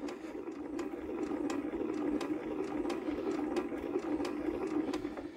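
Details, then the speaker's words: Old Lister diesel generator unused about 20 years, cranking; pump delivers diesel up the pipe but no sharp injector creak, only slow even ticking every 0.7 s; injector not popping off, owner suspects it is seized. "but we aren't getting an injector Creek"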